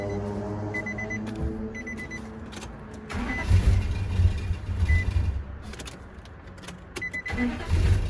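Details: 2004 Nissan Titan V8, bought cheap as a crank-no-start, after the fuel tank was dropped and refitted: beeping chime, then the starter cranks and it catches into a steady, even rumble; normal start.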